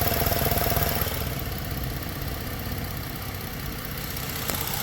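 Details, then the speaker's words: Ford idling with a new Motorcraft EVAP canister purge valve commanded to 10% duty cycle by a scan tool: an even, quiet idle with no ticking. The old valve, which made a whacking noise, was suspected of hanging up. "hear how quiet that one is you can barely hear any noise"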